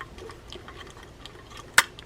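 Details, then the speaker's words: Ryobi Silver Cloud SX-5 spinning reel: quiet cranking with soft ticks, then a sharp click as the bail hits every five or six cranks; bail wire bent down, fix is re-bending it up square. "the thing that's wrong with The Reel is that the Bell wire is bent down and this is a very easy fix"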